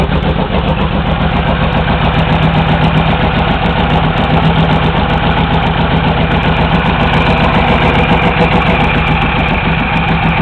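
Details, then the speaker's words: Honda VTX1800 V-twin idling with long 3-inch exhausts, pair valve removed and plugged; deep uneven loping beat about four pulses a second, with less exhaust popping. "I think you get a lot more of a more of a loping sound without that hair valve hooked up"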